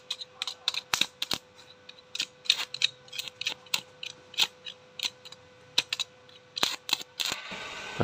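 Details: Lakoni 900 W electric stick welder repaired by replacing a burnt 2.2 ohm resistor, current set about 60-70: irregular crackling sputter bursts over a faint steady hum; normal arc welding.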